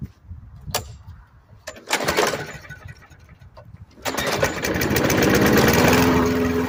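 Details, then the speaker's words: Murray 5 HP Briggs & Stratton mower after carburetor swap, primed: several sharp pulls and brief coughs, catches at four seconds into an uneven, labouring run; hard starting, ran at most about a minute. "Well, she wants to. I think she definitely wants to start."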